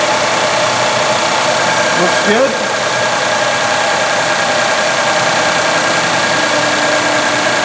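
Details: Ford F-series 3.5L EcoBoost after high-pressure fuel pump replacement for P0087/P053F loss of power: delayed cranking from air in the fuel system, then steady, even running with a smooth hum, no knocks or misses; sounds as before.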